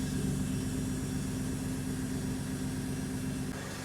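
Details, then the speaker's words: MGB GT with swapped Jaguar AJ30 V6, idling with microphone at exhaust: smooth even idle around a thousand rpm, soft understated low exhaust note, no knocks or misses; normal idle. "All right, so it's idling. Got my microphone on here so kind of hear what the exhaust sounds like. >> It's quite um understated."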